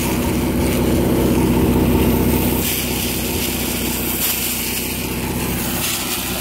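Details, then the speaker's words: Ford Mustang with swapped 3.5L EcoBoost, strapped on a dyno: fast, even ripping flutter about four times a second over the engine, heard up close. Very sticky tires were sticking to the dyno roller as the wheel spun, not an engine fault. "that's a tire sticking yeah all right go go neutral you're fine and it's the freaking tires are so sticky that it's sticking to the dyo roller as the wheel's spinning"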